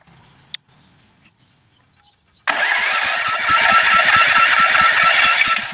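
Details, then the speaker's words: 7.5 gen set that won't stay running: it catches abruptly, runs roughly a few seconds, then stalls; ignition is judged fine, so the carburetor is suspected. "kanina umandar siya ng konti tapos namamatay so ibig sabihin walang problema dito kuryente"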